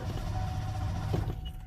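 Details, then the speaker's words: Truck after starter replacement, battery reconnected: strong, even, brisk cranking with no grinding or dragging; new starter works fine, engine not running due to other issues. "you can hear that new starter running strong"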